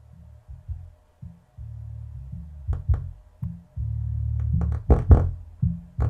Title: Miller & Kreisel MX-105 MkII subwoofer with distorted audio at low level repair